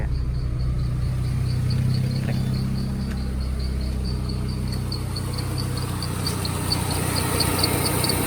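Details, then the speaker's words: 2003 Peugeot 206 whose AC would not switch on because its clutch supply wire had no power; after reinstalling the BSI box, a steady idle with the AC compressor under light load and a faint regular tick; AC working normally again. "Thử tắt nó đi xem. Bật nó lên Được rồi Tuyệt. Nó đã trở lại bình thường Ơn Chúa"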